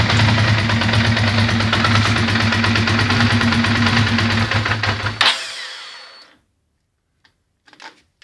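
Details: Ducati Monster 620ie: uneven V-twin idle with a loose, stumbling beat for about five seconds before shutdown; bad injector, confirmed by swapping injectors, which moved the misfire to the horizontal cylinder.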